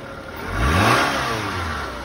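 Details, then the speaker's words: 2003 Toyota Camry at auction, started with a jump and moved forward and backward: single smooth rev rising and falling over about a second, clean note with no knocks or rattles; sounds pretty good, normal revving. "Started it up with the jump, moved it forward and backward."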